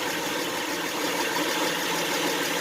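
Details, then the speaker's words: 2011 Honda Pilot 3.5L V6 idling after engine flush and oil change to Amsoil 100% synthetic 5W-20 with new EA15K13 filter, no leaks at filter or drain plug: smooth, quiet, steady hum, no ticking, knocking or lope; normal idle. "Wow, sounds nice and quiet."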